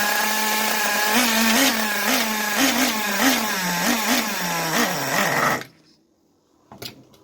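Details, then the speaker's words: Traxxas T-Maxx 2.5 nitro RC engine, revived project, started with LiPo starter: buzzes steadily with quick throttle blips for several seconds then cuts out; normal running. "You heard it run. Oh, holy crap, it actually runs."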